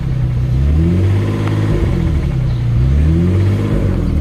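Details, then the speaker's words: Infiniti G35 sedan with its original VQ35DE engine at 198,000 miles stutters and shakes, with a heavy uneven knock rising when revved and no check-engine light; the engine is considered finished. "It's stuttering real bad right now, as y'all can hear. You see the engine shaking like real bad right now. I'm gonna try to rev it a little bit to see if y'all can hear it a little bit better."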